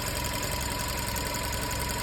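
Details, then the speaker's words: Vacuum leak test on a petrol engine: with the throttle inlet blocked and the oil cap open, the engine keeps idling with a slightly uneven low pulse for a long time, running on air drawn in elsewhere, indicating a vacuum leak. "عايزك تبص معايا قد ايه وقت على ما العربيه هتبط كل ده العربيه شغاله على الهواء اللي ساحباه من"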